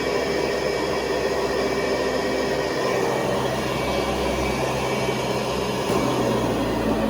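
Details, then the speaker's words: 1970s Hoover Convertible vacuum, about 50 years old, motor on high speed (400 to 625 watts): even hissing air rush with steady motor tone, no rattles or dips; healthy, moderate suction. "what I'll do is I will switch it on, and then you can hear the motor shift into high speed. So they go from 400 watts to 625."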